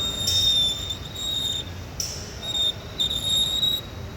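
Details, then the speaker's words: Hyundai with squeaky/scraping noise from the rear when reversing: high thin squeak with wheel rotation at the rear wheel, caused by debris flung up and lodged there, not a manufacturer fault; removed to fix. "so that'd be the noise so let's take this wheel off and see what's causing that noise"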